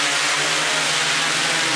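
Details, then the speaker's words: QAV500 quadcopter with Pixhawk on 6S LiPo, untuned, garage hover in stabilize mode: steady high hissing propeller whir at even pitch, no surging or rattle; hovering normally and fairly stable. "so let's go ahead and get in the air we're in stabilized mode"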